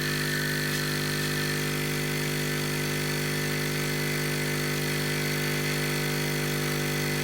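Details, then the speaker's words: Hailea ACO-318 45 W diaphragm air pump for laser air assist, sitting on a table: a steady deep bass hum with a buzzy edge that never changes as the pump vibrates and drones loudly, enough to skate across the table. "any pump that makes a reasonable pressure is going to make a noise but this gives of a bass type noise which really aggravates my ears"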